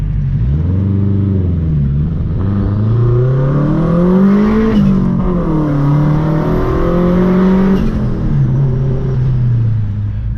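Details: Honda CR-V with home-built turbo kit and Haltech ECU, after fixing a misfire issue: strong clean pull in first, pitch climbing and dropping through hard revs, no misses or rattles; running healthy.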